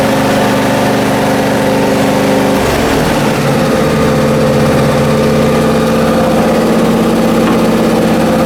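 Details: Briggs & Stratton Intek M44 twin mower after total carburetor tear-down and clean, manifolds removed this time (earlier air-blow-only attempt likely failed): steady even drone with firm low pulse through small load change, no surging; works as it should, normal running.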